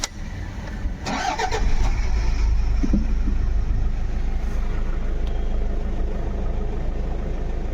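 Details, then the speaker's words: 2011 Toyota Fortuner diesel after open injector circuit (P0200) repair, restarted after clearing codes: cranks, catches cleanly, even idle without stumbles or misses; misfire solved, only diesel filter code remains. "लेकिन जो हमारा missing का problem तो solve हो गया है"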